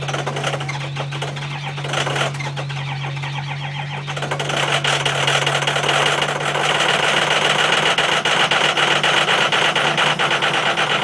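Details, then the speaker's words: 2005 6.0L Power Stroke diesel after a rough cold start and battery charging: settles into a steady, even idle with regular diesel clatter and no stumble; running normally, owner says it just needed extra battery juice. "There. Running perfect now. All she needed was a little extra juice."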